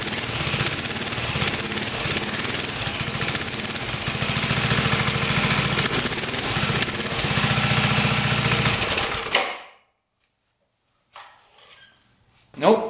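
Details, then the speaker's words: Barn-find mini bike small single engine, unrun for over 20 years: fast rattly running with a possible faint metal-on-metal squeal being lubricated to make it stop; source of squeal unclear. "And hopefully that'll lube that enough to where it doesn't make that squealing sound. Because it sounds like metal on metal. And that's no good."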